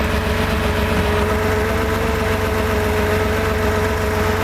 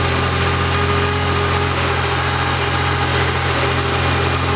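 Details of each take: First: Freshly rebuilt Porsche 2.7 L engine with CIS fuel injection, first days after startup: high, rough, lumpy idle with an irregular stumble and partial misfire popping in the exhaust, worse when mixture leaned; misfire located on cylinder 2 by cracking fuel distributor lines. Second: Freshly rebuilt Porsche engine with CIS fuel injection (fuel distributor and warm-up regulator under test), cold start after sitting overnight with the air filter on and pressure gauges removed: it settles into a smooth, steady, even idle with no stumbles.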